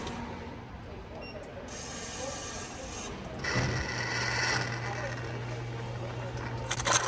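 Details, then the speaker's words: Coffee machine running a cleaning cycle with a cleaning tablet: a short hiss as steam vents to the drain, including through a valve, then a steady low pump hum; normal operation. "So you can hear some steam coming out here from the drain, and it will also send steam in this valve and will go to the drain."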